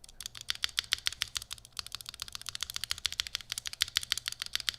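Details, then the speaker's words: Chimera65 custom keyboard with Durock V1 stabilizers, lubed Alpaca switches, FR4 plate, GMK keycaps; quick uneven keystrokes with bright clacks and a faint metallic tick and rattle from the stabilizers on left shift and spacebar. "That's tick and rattle. Tick and rattle."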